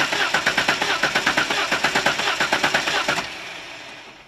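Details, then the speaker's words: Holden six-cylinder with blow-by, cranked in neutral with the throttle slightly open for a by-ear compression test: starter turns about three beats a second, with slight unevenness in the compression beats; possibly a weak cylinder. "let some air get into the engine and crank it and have a listen to the starter motor all right and that'll tell us if it's got six good compressions"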